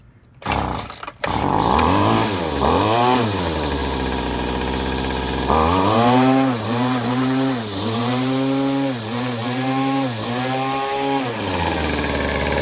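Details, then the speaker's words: Trash-picked Weed Eater Featherlite FL26, 25cc two-stroke string trimmer, after carburetor adjustment (low jet about ½–¾ turn, high jet about ¼–½ turn). Crisp buzz revving up and dropping back cleanly, steady idle between blips; runs well, owner suspects a clutch problem. "and now this thing runs beautifully give you a little demo here"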